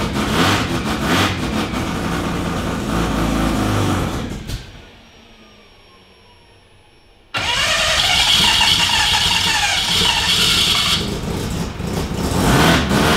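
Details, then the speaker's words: Freshly built studded semi-peripheral-port FD RX-7 13B turbo rotary in the Project Redline Mazda, first start-up, premix oil in fuel, coolant about 40°C: fires rough and buzzy, cuts out a few seconds, then catches and holds a raspy untuned idle. "smells like a mesda now we haven't done a shed skid we've just started up a Mazda"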